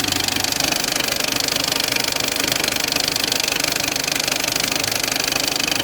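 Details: Peugeot 206 1.4 HDi diesel at idle: sharp, regular clacking about three times a second over busy diesel clatter; loud engine noise caused by a damaged crankshaft pulley.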